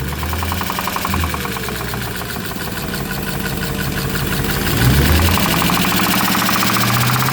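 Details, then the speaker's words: Audi A8 3.7 V8 running with a steady hard metallic knock about four per second, strikes felt right at this cover; internal engine knock, source not pinned down. "Так, прямо отдает удары в эту крышку."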